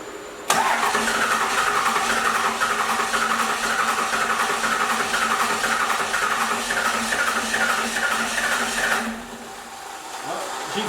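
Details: First-gen Cummins 12V diesel: about eight seconds of steady even cranking at roughly four beats a second with no catch; no-start traced to a bad injection pump leaking, despite fuel reaching injectors.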